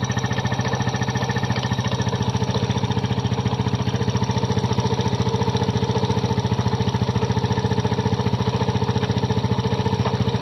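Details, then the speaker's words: Kymco Visar 110 scooter after replacing the connecting rod with a new crankshaft assembly for an internal knocking noise: fast, even single-cylinder putter, about 3.5 beats per second, no deep knock; normal running, bottom end now healthy. "Nawala na ang tunog ng kanyang makina. Natunog ka lang pag connecting rod dahil napalitan natin siya ng bagong crank shop assembly."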